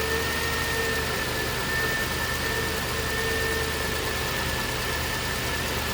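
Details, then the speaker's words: 2009 Range Rover Supercharged 4.2 at idle: thin constant high-pitched whine over steady idle, being pinpointed with a mechanic's stethoscope; supercharger or alternator suspected, owner leans alternator, unconfirmed. "And it will amplify the noise. And it will help you pinpoint where your whine is coming from."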